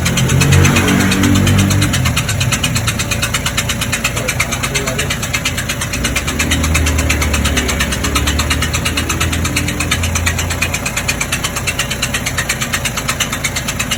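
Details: MG GS at 130,000 km, just serviced, idling: steady metallic rattle about three beats per second from a broken clutch or flywheel bearing.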